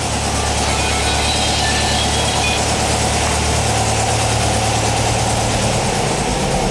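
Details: 1959 VW single cab pickup, air-cooled, after getting it running during restoration, warming up: busy, clattery idle holding an even beat, no misses or knocks; sounds good, normal idle.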